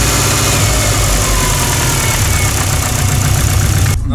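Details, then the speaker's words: Subaru with WRX 2.1 stroker block, EJ257 crank, forged JE pistons and GTX3076 turbo, idling at 800 rpm, 5W50 oil: hard, regular deep knock; owner suspects 4th piston skirt slap, unconfirmed. "Мотор у меня предположительно, вчера ребята смотрели, предположительно застучал адски юбкой 4-го поршня, как у Тираныча после зимней обкатки."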